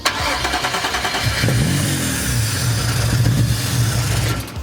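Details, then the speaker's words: First start of a Nissan 370Z with a swapped VR30 (Q60S) engine after the fuel-system wiring was fixed: brief crank, then a steady, even idle with no knocks or misses; sounds healthy. "dude oh it sounds healthy dude"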